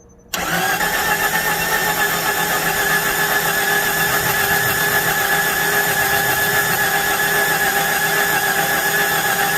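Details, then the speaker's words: Cranks but won't start: 1993 Jeep Cherokee with fuel pump reconnected and booster battery attached, nine seconds of slow, labored cranking without firing; owner suspects low compression, expecting under 100 psi before a compression test. "Yeah, it still sounds terrible. It's either go or die."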